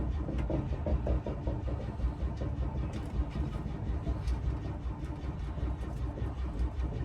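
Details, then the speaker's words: Double-decker bus home's big diesel after its starter motor was fully rebuilt and refitted: heavy, slightly sluggish cranking until it catches and settles; starter engages fine, slower start blamed on batteries being a bit low. Normal engine start. "Took a bit longer to start than normal, but I think it's obviously where the batteries are a bit low."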